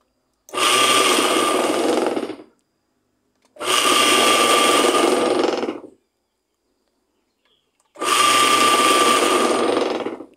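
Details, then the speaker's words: Washing-machine tub (tanquinho) motor after melted-wire repair, with a plastic water-protection cover added: three short bursts of strong, even hum and whine, spinning up fast to a very good speed and holding it cleanly; healthy motor. "Vocês viram que pegou uma velocidade muito boa, né? Tá muito forte."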